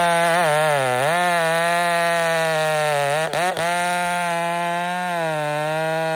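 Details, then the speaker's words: Chainsaw with new RipSaw exhaust cutting year-down Douglas fir after choke-only cold start: strong even two-stroke buzz, brief dips under the cut, recovers cleanly; running healthy. "It's got my new rip saw exhaust on it that I'm trying. That sounds deadly. It works super good."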